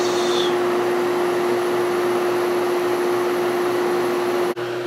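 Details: Whirlpool 6,000 BTU air conditioner right after the capacitor was replaced (the old one made the compressor hesitate to start): a steady, even mid-pitched compressor hum with smooth fan rush; it starts stronger and draws less current.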